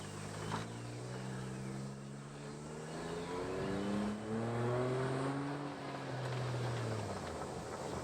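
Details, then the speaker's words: Turbocharged Suzuki Jimny revved while driving, owner says treated gently; engine note climbs smoothly through several clean revs and drops back, pulling evenly without misfire or rattle: normal revving. "That's about as much revving and stuff as I do with it. Treat it pretty nicely."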